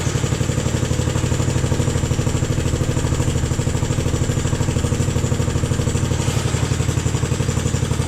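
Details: Jacobsen Chief 1000 tractor, Kohler single-cylinder (K241 fuel system work), after draining gas and new fuel line: steady even thumping at fast idle, no misses, knocks or surging; took a few cranks to get gas flowing, runs healthy.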